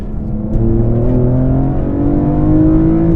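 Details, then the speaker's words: BMW E46 M3 (SMG) with a full carbon-fibre CSL intake and plenum, CSL ECU tune and Super Sprint race exhaust, heard in the cabin: loud, deep intake roar climbing smoothly with throttle, drowning out the exhaust, with no rattles or misfires; healthy engine. "Oh, dude. I feel like an asshole because the engine's so loud. I don't hear the exhaust anymore. So like that's another point. You hear the engine and not the exhaust in the car anymore."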